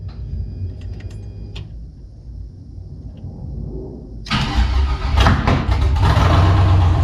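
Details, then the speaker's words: 1984 G-body Cutlass with LS swap and ProCharger on Holley Terminator X EFI, first startup attempt. The starter cranks unevenly, then sharp pops and bangs come through as it tries to catch but never runs. "This thing is popping, dude. One more time, let's see. Why is this thing popping like that, huh? Whew. Something's not happy."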